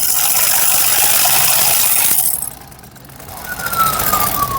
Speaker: देखिए जो मशीन है ना इसको चला रहे हैं। आवाज सुन रहे हैं आप मशीन बहुत ज्यादा आवाजें कर रही है।